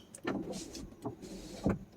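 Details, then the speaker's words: 1992 Mercedes 500SEL rear power window: motor whirs in uneven bursts with hard clunks as glass jumps violently, auto up/down won't resync; regulators suspected on their last leg. "well that one jumps violently the real glass you see that that's not normal"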